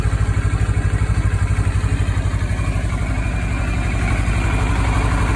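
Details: 2013 CFMoto 650NK twin on its stock muffler, before fitting a Musarri slip-on: even, lumpy putter at about four pulses a second, steady and smooth at idle; healthy.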